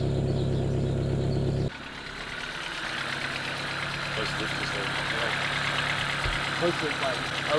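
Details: 1990 Honda Civic ED barn find, D16 engine swap with Garrett turbo and EFI conversion, sat about four years, fresh 98 fuel: fires and settles into steady even idle with faint light tick, possibly fuel pump; runs smoothly.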